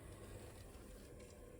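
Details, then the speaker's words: Worcester Greenstar CDi boiler on an S-plan system with an unvented cylinder, called out for no hot water: power restored and the circulating pump kicks in, running as a quiet, steady low hum with no knock, rattle or grinding. Normal pump running. "Pump has kicked in."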